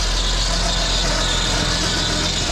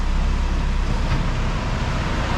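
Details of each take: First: PT Cruiser GT 2.4 turbo on jack stands, in gear after replacing a CV axle with stripped splines that caused grinding: steady even hum, wheels turning, no grinding or clicking through second to fourth; motor mounts noted as shot. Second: PT Cruiser GT 2.4 turbo race car on jack stands, in first gear with foot on brake: deep, rough drivetrain rumble with coarse grinding, louder with each gear, from stripped CV axle splines, not the clutch.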